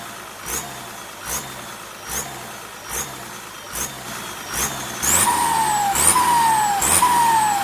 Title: เทอร์โบ SK200-3 ar42 Sound show Pente na Turbina,cantando turbina,hissing sound in turbo.